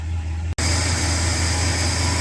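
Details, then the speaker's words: 1968 Ford XL V8 after replacing warped exhaust manifold, true dual exhaust; smooth even idle with steady deep note, no ticking or puffing from the manifolds; exhaust leak fixed, no leaks. "wow it has never sounded like this since I've owned this car eight eight nine years"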